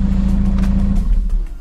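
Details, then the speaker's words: VW Golf V diesel after engine and cylinder head rebuild, first start after months off the road, camshaft adjustment via VCDS not yet done: steady, even low drone at idle, no ticking or knocking. Runs smoothly, healthy. "le moteur tourne bien j'entends pas claquer ça a l'air de tourner rond"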